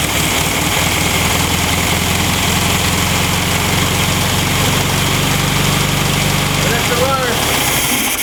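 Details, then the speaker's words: 1965 VW Beetle first start in years on a restored 30 PICT-1 carb (not the right carb): flat-four catches, idles lumpy and uneven, then cuts out abruptly when it runs out of fuel. "it's out of gas, but it'll run on Tim's carb."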